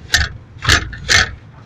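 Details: Lada Zhiguli 2101-07 rear suspension: four heavy hollow clunks about half a second apart, each a short rattling thud; knock and rattle from rear suspension, cause unconfirmed.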